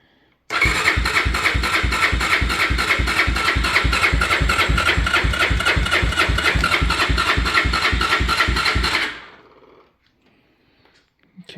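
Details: 1987 Honda 350D ATV, single-cylinder, after sitting with a new battery fitted: starter cranks at about three and a half pulses a second but never fires; owner suspects no fuel despite the fuel pump clicking, not confirmed.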